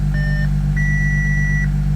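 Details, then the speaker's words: 2014 Audi SQ5 3.0 turbo diesel after crank-no-start repair: starts first go, steady even low drone with no knocks or misses, two dash chimes; idling smoothly. "Oh, beautiful. First go. That is fantastic. And it sounds like it's idling very well at the moment."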